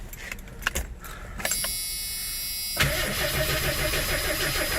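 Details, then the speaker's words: 1982 Ford Granada cold start at about 25°F right after a carburetor rebuild; a few clicks, a second of even cranking, then it catches and holds a steady, smooth fast idle on choke, sounding as expected. "Yeah! Oh, God. Oh, yeah, hell yeah. Sounds like how I expected it to sound."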